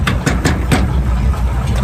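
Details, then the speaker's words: Older V8 with points ignition, power steering and power brakes idling; deep, steady low rumble with even beat, no knocks or misses; runs nice and smooth. "runs nice and smooth got the you knower jet on it with Point still power steering power brakes that really runs nice and smooth"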